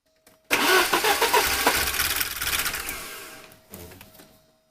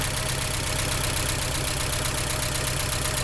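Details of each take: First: 1983 Porsche 944 Turbo after new fuel pump and relay, fuel rail gauge showing pressure: long run of churning cranking that fades, pause, then engine catches; slow to fire, just needed extended cranking, runs afterward with some smoke. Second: 1983 Porsche 944 Turbo after a new fuel pump and relay, first start after extra cranking, smoking slightly: steady, slightly lumpy idle with an even low throb and a light tick; it idles and drives.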